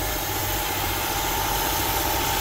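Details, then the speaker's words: Honda Civic EK VTi sedan, D16Y5 VTEC engine with CVT, just started on a cold day with an extra battery; smooth idle with a steady thin hiss and faint whistle, suspected intake vacuum leak, unconfirmed. "so straight away you can hear it running pretty smooth but there's definitely a vacuum leak"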